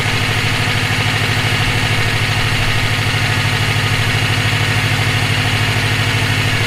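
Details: EJ257 engine knocking at idle for about 17k miles since purchase; dull, regular knock, about two per second, on the low rumble. Owner suspects rod knock, spun bearing or valve lash needing adjustment; source unknown.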